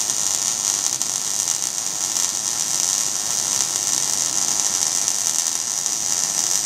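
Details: Steady, even frying hiss with no pops or sputters throughout: well-tuned MIG (GMAW/MAG, active gas mix) arc laying a good fillet bead; normal welding arc.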